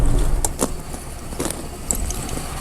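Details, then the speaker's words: D50 pickup idling with heat on, sounding like it's trying to run a high idle; good oil pressure. A low steady hum with no misses or knocks, some handling clatter on top: a healthy, smooth idle. "sounds pretty good nice and smooth"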